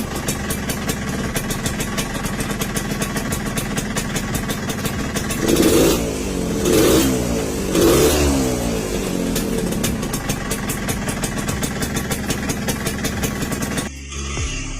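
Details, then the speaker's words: Motorcycle revved after clutch slip: rough metallic clatter over the engine as it revs and settles. Suspected cause is a worn, loose clutch housing; not confirmed. "Baru naik os kok suaranya jadi kayak gini, kira-kira apanya ya Su? Kan tadi slip kopling, terus gas langsung gini lagi suaranya."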